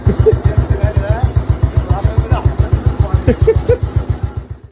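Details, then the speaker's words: 2008 Royal Enfield Bullet Standard 350 navy-disposal single, restarted during restoration: steady even thump at about 220 beats a minute with no knocks or misses; the engine sounds very good. "Engine है आप आरंभ करना आपने इसे फिर से देखा। Engine ध्वनि भी बहुत अच्छी है।"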